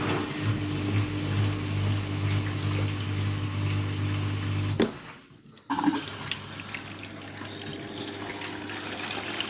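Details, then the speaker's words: Scrap washing machine on a quick 15-minute wash with no detergent, during water fill: steady low "vroom vroom" drone, then cuts off abruptly and water noise takes over; owner thinks it was the pump getting water in, quiet afterwards. "And there you go, it's quiet. It's not making that vroom vroom vroom sound before. I think that was, like I said, the pump trying to get the water's in there."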